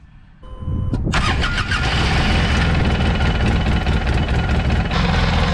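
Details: Polaris RZR 800 after a short chime cranks and settles into a rough idle with a dull knock underneath; owner first blamed the worn clutch, then suspected bad rod bearings and opened the engine.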